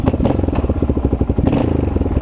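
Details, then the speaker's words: KLR650 after full carburetor mods, warmed up: the big single picks up sharply on throttle blips with no lean bog or stumble, then drops back cleanly; fuelling sounds right. "no lean bog sounds sounds good"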